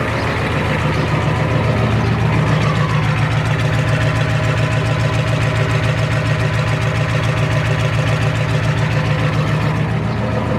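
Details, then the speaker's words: Four-wheel-drive diesel with 242,000 miles, just started without glow plugs at half throttle: steady, even idle clatter about 214 beats a minute, no misses or knocks; runs healthy with good compression, no smoke. "I told you, it runs like a beauty compared to that Powerstroke."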